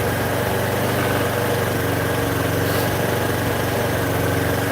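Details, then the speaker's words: Scooter after carburetor work (2008 Buddy 125 or Chinese 125, new carb), idle not yet set, cold on choke: fast, steady idle with even beat, no knocks or misses; normal cold idle, warming up. "looks like the choke is probably working in a second yeah it warms up for a second and then the idle goes"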